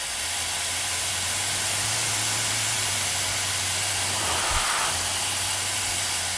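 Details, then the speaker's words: Pneumatic hand dryer at low air flow rate, microphone moved close: loud rushing air with a low steady throbbing hum that briefly drops out; air jet oscillation, rate rising with flow. "don't know if you can hear that but there seems to be a very low frequency oscillation at this low uh at this low flow rate"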